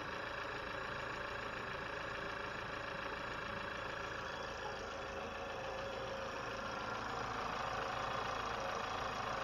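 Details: 2020 Chevy Malibu 1.5 Turbo just after vacuum pump replacement, first start, no fuel leaks or check engine light: steady, even idle with a light regular injector tick and no stumbles or knocks; normal idle.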